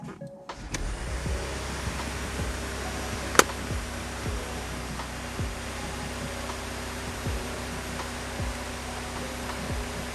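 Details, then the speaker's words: Porsche Cayenne after fitting new spark plugs in all cylinders and clearing codes: cold idle holds a steady, even hum with no stumble; it would normally be misfiring by now, so the misfire appears to have been from bad plugs. "I think we've done it it'd normally be misfiring by now we currently have nothing"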